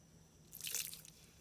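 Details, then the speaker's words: Auction brush cutter's Lovejoy-style drive coupler behind the hydraulic motor, ground itself apart: short hissing sizzle as water hits the hot coupler, then fades; overheated coupler. "i'm gonna dump some water on it see if it sizzles because it's that hot i don't know if you guys can hear it but it is slightly sizzling"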